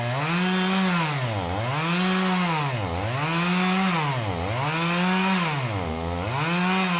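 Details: Stihl MS 391 chainsaw, about two years old, cutting hard walnut at full throttle: bogs smoothly into each cut about every 1.5 seconds, then recovers cleanly; healthy, normal running under load.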